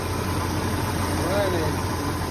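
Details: 1986 Jaguar XJS running after rat-damaged wiring repairs and connecting two small wires, some vacuum hoses still to be sorted: smooth, even low idle with steady rumble and no misfire stumble or knock; normal idle.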